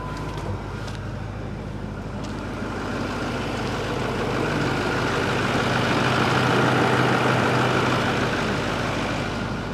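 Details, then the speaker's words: Ford service truck engine, old vintage, starts easily even at about 30 degrees: steady, even idle with a low rumble that swells a little and settles, no knocks or misses; engine sounds healthy. "don't sound too bad it starts up easy it was about 30 degrees the other morning i had to start it up and move it and started right up for the most part"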